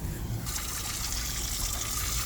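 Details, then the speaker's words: Sea Ray 370 boat, new, with the air conditioner running. The raw-water overboard discharge hisses and sprays, misting the boat instead of flowing cleanly. Planned fix is to jam a hose into the outlet and cut it flush. "oh yeah I can see look it's getting it all wet all over the boat everything else is dry but this thing is just kind of misting everything"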